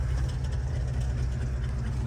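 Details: 1967 Ford Bronco, original 289 V8, three-speed manual, after carburetor change, points service, new starter and alternator: deep, even idle burble with steady low rumble, no misses or knocks; healthy engine, no smoke.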